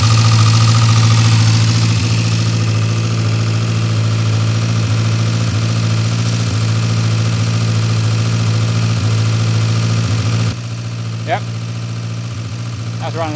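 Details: Austin/Morris van, old engine restarted after fuel system work (leaking tank, float bowl possibly holding fuel); catches and settles into a steady, even idle with a smooth low hum, no knocks or misses, normal idle.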